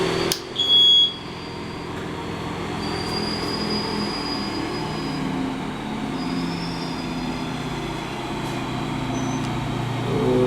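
A steady, even engine drone holds without misses or surges after a brief start-up burst; the engine runs cleanly and healthy.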